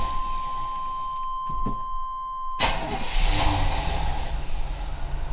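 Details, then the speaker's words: GM 350 V8 in a square-body crew cab pickup that sat for 12 years and only needed a battery: the fuel pump hums, then the engine fires and settles into a low, quiet, even idle with no knocks or misses; normal idle. "She is happy as can be, guys. Heck yeah. The answer is yes. She starts up and runs beautifully."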